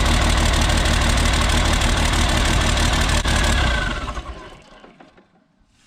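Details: Isuzu cab-over diesel, cold, straight pipe off the turbo: loud uneven clatter about three beats per second then shuts down; runs perfectly with the injection pump wiring harness unplugged but misses and smokes when plugged in, cause unknown.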